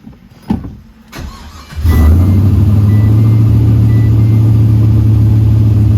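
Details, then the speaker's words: Pontiac GTO V8 just after replacing a bad IAC valve (an '02 Silverado part believed to share the same part number): brief crank, then it fires and settles into a low, steady, even idle with no hunting. Normal idle after the repair. "at least we can confirm that the IAC was bad so here's the part number um we'll see if this lasts but at least now she runs"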